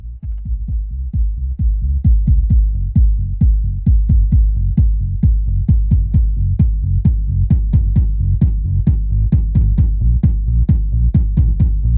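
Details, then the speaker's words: Tesla Model S bass speaker after DIY repair, tested with loud music: punchy kick about 130 bpm, clean deep bass without rattling; only slight crackling, seemingly from the door. "ist also wenn da was schppert dann wisst ihr dass da was nicht in Ordnung ist und hier ist nur so ein Knistern irgendwie kommt dasus der Tür dort aber ansonsten schöner Bass"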